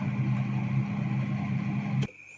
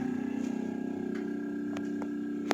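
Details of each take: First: Refrigerator after removing an obstruction that caused a noisy fan: steady, even low hum with no rattling or scraping for two seconds before cutting off, cooling restored; normal fan running. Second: Refrigerator that is very noisy and not cooling well runs with a loud, steady hum, a shrill high tone and light clicks. It is louder with the door open.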